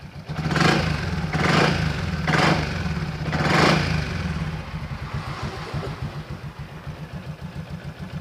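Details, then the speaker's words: Yamaha XMAX 300 scooter after a home repair of a hard-start, stumbling, no-idle fault, repair said to last over two months: a few quick throttle blips, then a steady, even idle with no stumbling or hunting, normal idle. "ปกตินะครับอยู่ได้ประมาณ2เดือนนะครับ"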